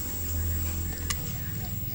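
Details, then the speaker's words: Repaired fan motor (dinamo kipas angin) bench-tested on mains power via black and speed wires: steady low hum with no rattle or scrape, even throughout; windings now induce the core, motor running smoothly and healthy. "Nah, terdengar berdengung, itu sudah berfungsi, lilitannya sudah bisa menginduksi besi."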